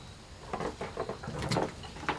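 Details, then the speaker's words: John Deere 948 fuel tank tipped about by hand: irregular light clatter and patter as something loose slides and knocks inside; owner suspects an object dropped in long ago, not confirmed. Loose object rattling in fuel tank. "can you hear this stuff rattling around in there I don't know if it's gas enough I wonder what that is must drop something there a long time ago"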